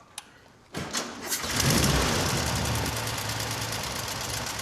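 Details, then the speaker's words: Air-cooled engine cranks, catches and settles into an uneven, spluttering idle that almost cuts out, from poor ignition traced to the distributor; exhaust heat has blistered the rear valance paint. "if you listen to the idle you can hear that it is really struggling and kind of spluttering and it almost cuts out and that's comes from poor ignition"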